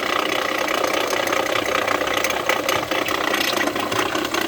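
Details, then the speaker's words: Jeep Renegade 1.8 flex engine at idle: loud, uneven ticking clatter two or three times a second; no warning light and no power loss; mechanic suspects the water pump, not yet confirmed by disassembly. "Motor na lenta, escuta o barulho. Vamos estar desmontando para ver o que é. Certo? Provavelmente pode ser bomba d'água."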